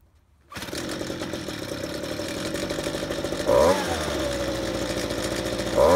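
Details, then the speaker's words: Ryobi handheld two-stroke leaf blower pulled from the trash, recorded before any repair: buzzes along, then each trigger squeeze makes the note sag and stumble before recovering, bogging under throttle; carburetor adjustment suspected, not confirmed. "when I started mucking with it pulling that trigger was bogging up and ran terrible"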